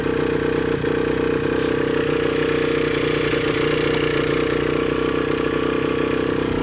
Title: Bruit moteur am6